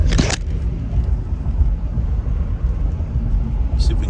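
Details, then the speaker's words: Jeep at cruising speed after new door weatherstripping. Only a smooth, low road-and-wind rumble, with no whistle or hiss at the door; remaining wind noise is from the roof light bar. Quiet door seal. "so let me show you man you i the sound is like all but gone completely"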